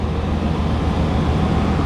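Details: Chevy (88-98) engine idling after water pump replacement and coolant refill, checked for leaks around pump: smooth, steady low rumble with no ticks, squeals or misses; normal healthy idle.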